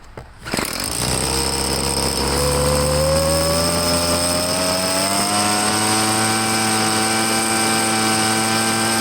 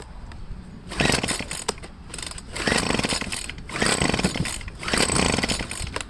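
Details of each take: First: Two-stroke leaf blower, restarted: snaps to life and settles into a steady, even high-pitched drone with a clean rising pitch on throttle; pretty good power, normal running. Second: Handheld two-stroke blower, cold start after priming with the purge bulb, on full choke: it fires in short raspy bursts, surges and dies. It ran better the day before; the owner suspects the carburetor and plans to disassemble it.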